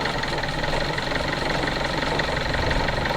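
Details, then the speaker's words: Kia Soul showing codes P0014 and P0016 idles with a hard, uneven knocking, two or three a second. Still running badly after the camshaft sensor was replaced; the crankshaft sensor is to be changed next. Low oil is the noted cause. "that's how it was sounding real bad but it sounds like yeah we're still having an issue"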